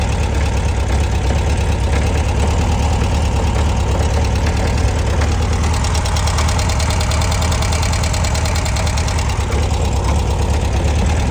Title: Please help me. what is the clunking noise and where is the oil leaking from. 1966 beetle w/ 1300cc